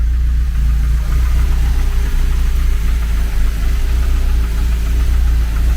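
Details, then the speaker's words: Renault 11 TXE carburettor engine after idle and mixture adjustment, air filter removed, dipped headlights switched on: deep steady idle holding an even beat without hunting or stumbling; carb judged well adjusted, CO still to check; normal idle. "Non, elle tient malgré que les Ouais, elle fonctionne les feux de croisement. Ouais, elle tient très bien."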